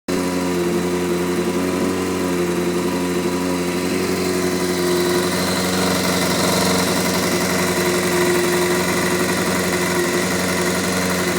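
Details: Honda F4i four-cylinder motorcycle at idle and revs: busy idle with uneven light tapping from the first cylinder (left side of bike); cause still being investigated.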